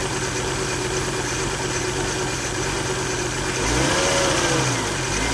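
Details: 2000 Volvo V70 at idle with a failed electronic throttle module (codes P0220, P1600): rough, shaky idle, and one blip makes the revs rise and fall three times; also a whine, maybe a bearing or pump. Replacing the ETM fixed it.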